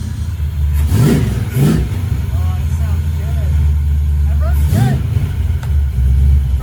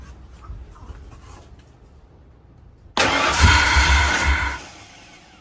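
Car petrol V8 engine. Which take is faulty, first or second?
second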